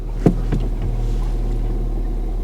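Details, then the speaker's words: Ford Fiesta ST, just started after fitting a replacement ECU to cure a previous misfire: steady, even low idle hum with no stumbles or dropped beats; runs perfectly smooth, no misfire. "it's not misfired it's perfectly smooth what to the hell let's move it forward it's not it's not misfiring"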